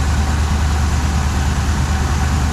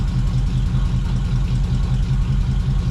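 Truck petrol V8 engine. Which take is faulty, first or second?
first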